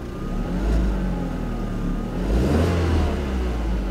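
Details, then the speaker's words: Neglected Audi TT that had been standing a while, cold start with quick revs: two blips rise and fall cleanly with a smooth, even tone and no misses or rattles; healthy free rev. "Sounds nice, that does. We'll let it warm up."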